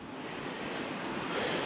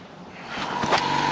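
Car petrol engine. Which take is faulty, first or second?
second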